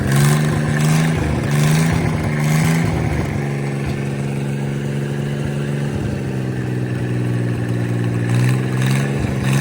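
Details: Mid-1950s Chris-Craft Model W (marinized Hercules WXLD) inboard in a 1940 23-ft speedboat, after overhaul following an oil-pressure-loss failure, test run: steady low drone settling from a few revs into an even run, no knock or tapping; normal running.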